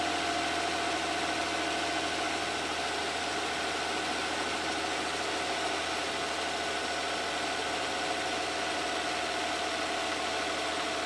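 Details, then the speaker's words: 1994 Ford Probe GT 2.5 V6 at cold idle on a cold day, after new NGK plugs and wires: steady, even idle with a faint whistle in the background and no misfire or ticking while warming up; normal. "So good so far. It sounds pretty good. It's a cold day now."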